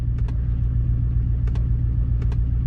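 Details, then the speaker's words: 2000 Chevy Tahoe V8 misfiring again after earlier new computer and injectors: deep lumpy idle with paired ticks; cutting out a good injector makes it run noticeably rougher, while cutting injector six changes nothing, pointing to injector six. "injector six worse worse so this right now is telling me injector six"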